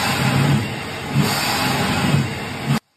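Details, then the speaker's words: Centrifugal chiller compressor in surge, refrigerant flow reversing: a deep, heavy roar swelling in low bellowing pulses about once a second, like an elephant's bellow; the most dangerous condition, can severely damage the compressor. "El surge es la condición más peligrosa para un chiller centrífugo. Puede dañar gravemente el compresor. Imagina que suena como el bramido de un elefante."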